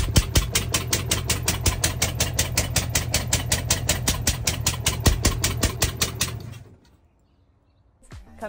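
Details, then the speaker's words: Truckmount carpet-cleaner small twin engine during a compression test (120 psi on one side), running on only one cylinder: loud evenly spaced single pops about six per second with gaps, then the engine stops. "okay so I plugged it into the other side it's nice and tight and reset that so this is what it sounds like running on one cylinder"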